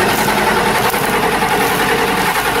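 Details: 1990 Ford F-Superduty with naturally aspirated 7.3 IDI International Harvester diesel: long steady cranking drone before it fires, followed by white smoke; hard starting from failing injection pump.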